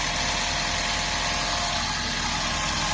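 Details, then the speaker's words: 21-year-old Toyota Prius, almost 130,000 miles, idling before hydrogen carbon cleaning of the valves: slightly rough idle with a busy metallic buzz and a faint light rattle underneath, no clear knock rhythm; cause unknown. "So you can hear there is a little bit of rattling going on."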